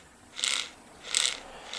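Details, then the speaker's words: 1969 VW Beetle generator with new straight brushes, armature turned by hand opposite its normal generator rotation: light, sharp clicking bursts about every 0.7 seconds as brushes catch commutator edges; should bed in and stop. "these brushes are straight and they're clicking on the edges of that commutator so it'll take a little bit but they'll it'll stop making that"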